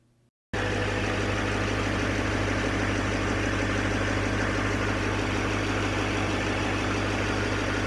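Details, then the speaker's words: 2006 Duramax diesel after replacing three idler/tensioner pulleys and belt, fan removed, idling: quick start then steady even idle with no earlier whine, whir or slipping noise from the belt drive; normal idle. "There's no noise. So I could be crazy, but the truck feels better now."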